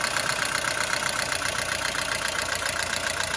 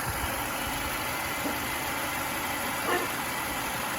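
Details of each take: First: Mercedes-Benz W212 with M271 engine, oil level full: fast light clatter of about four ticks a second from the top of the idling engine, hydraulic lifters knocking again; owner suspects coolant getting into the oil. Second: Mercedes-Benz W212 with the M271 engine about a week after an oil change and a StopTech coolant stop-leak additive: a steady, even idle with a smooth hum and no ticking from the hydraulic lifters. Normal idle.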